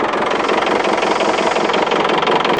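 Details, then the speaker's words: 1990 Iveco Daily 35-8 old diesel idling after Mecarun Eco 10000 additive: loud, hard, rapid clatter with a steady harsh rattle, much noisier than before, plus heavy smoke and hard starting; owner unsure of cause, suspects loosened dirt or moisture. "Ah ouais, il fait vachement de bruit, putain. Je sais pas trop quoi en penser là."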